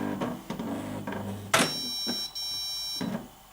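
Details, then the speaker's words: Old inkjet printer powered on with a new cartridge: mechanical clicks and whirs, then one sharp ringing warning beep, apparently complaining of low black ink, which the speaker considers wrong. "Okay, so it already complains seemingly about the amount of black ink that is left, but that's of course nonsense."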